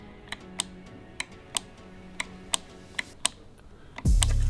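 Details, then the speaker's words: Old VW T3 heater blower motor, removed and bench-tested, is seized: it doesn't spin, only gives sharp audible clicks about every third of a second, trying to move; reverse polarity also fails to turn it. Replaced with a new motor. "just so i can show you how tired and seized this thing is now you're gonna have to come in close because it doesn't spin but you can hear an audible click"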